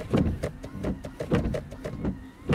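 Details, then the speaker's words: 2013 Scion FR-S with 191,113 km: the wiper motor on high sweeps quickly and regularly, about twice a second, with a light thump at each reversal and no groan. This is normal; at normal speed it runs too slowly, laboring and groaning. "that's normal this is too slow this is my normal speed but this is too slow for the normal speed and you see it's laboring it's groaning"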